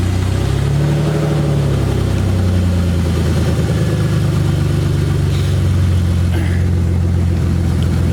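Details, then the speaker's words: BMW E30 first start after installing the exhaust manifold, no exhaust beyond the headers: very loud, raw, deep roar rising and falling with light revs; loud exhaust from open headers. "So as you can see, it's incredibly loud due to the fact that I'm running open headers. There's no exhaust on this car right now besides the headers."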